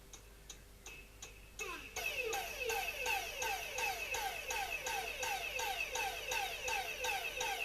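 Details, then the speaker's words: Cordless Dyson vacuum on a bench power supply, BMS suspected, motor drawing only about 200 mA: steady chirping pulses about three a second over a thin whine, motor never spins up; controller suspected faulty, not confirmed. "sounds like some early 1960s experimental jazz i suspect well i don't know the motor controller is doing something but it's um it's modulating so it could be the controller that's faulty"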